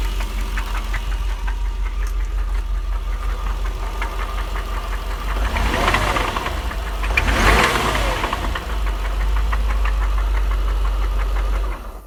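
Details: 1999 Jaguar XJR, secondary tensioners just replaced, overheated on a drive and shut down: now loose uneven tapping about 167 per minute over the run; owner asks if rod knock, not confirmed.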